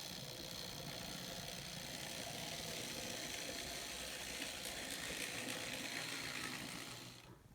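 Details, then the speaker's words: N scale Bachmann SD40-2 model locomotive, first power-up on track of an engine whose blinking light isn't working: even high-pitched electric motor whir, steady speed, no stalls or grinding; runs as it should, may just need a little cleaning and tweaking. "actually sounds like it's supposed to just needs a little cleaning and maybe some tweaking but that should be easy"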